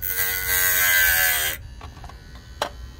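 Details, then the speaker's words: Hard-disk (HDD) motor with a 6 cm diamond disc cutting, not at full speed: a high, steady whine with gritty cutting noise holds speed for over a second, then stops; the motor does not stall and is healthy under load. "Evet durduruyorum ve gösteriyorum motor son devrinde değil Dostlar Evet Dostlar Saniyeler içinde gördüğünüz sonucu o motor durmuyor bu ve tam devrinde değil"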